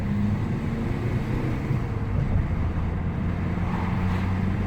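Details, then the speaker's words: Ford Mondeo Mk4 1.8 diesel, previously in limp mode with fault P2263 and problems in third gear, driven after a carbon clean and code erase; steady drone building evenly under load into fourth gear, no stumble or surge, pulling normally. "Third gear is normally where you have problems. Look at that, fourth gear now. No problem at all. Still pulling away lovely."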